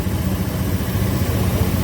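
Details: Honda Scoopy FI scooter after starter motor repair: deep, even putter at idle with a steady beat and no knocks or misfires; running healthy.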